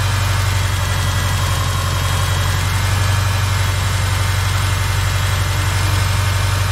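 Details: 2007 Subaru Forester with a failed-starter issue: steady, even low idle rumble with a regular beat and no grinding or cranking; the engine runs smoothly at normal idle.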